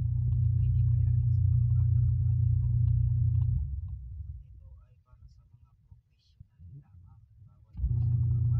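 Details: Twin-tub washing machine with spinner, reported noisy and slow to spin: a deep, even motor rumble for a few seconds that dies away, then picks back up smoothly, with no obvious grinding.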